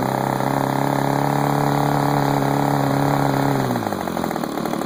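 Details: DLE30 two-stroke engine buzzes steadily, then speed sags and stumbles: vacuum leak at the reed block gasket, found using carb cleaner.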